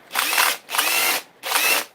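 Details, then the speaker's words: Dewalt XR 18V DCH273 SDS drill, catastrophically failed from misuse, switch suspected faulty: three short bursts of harsh, raspy, uneven high-pitched whirr; motor sounds rough, bearings suspected gone. "Nope, the motor doesn't sound good. I'd say the bearings away"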